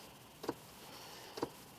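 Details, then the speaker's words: Ford Explorer with heat/AC stuck on AC, key on: two soft, quiet clicks about a second apart as the blend door actuator skips and cannot move the blend door. "okay that's what the actuator door sounds like because it's not able to blend"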